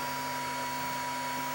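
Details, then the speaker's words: Laser galvo scanner mirrors driven by an oscilloclock XY signal: steady high-pitched buzz with fixed tones; frequency likely too high for the mechanical mirrors to follow. "But because the fact that the frequencies are so high, we're just up against the limitation of physics as far as moving these mirrors. You can hear them buzzing, right? They're making a buzzing sound, and"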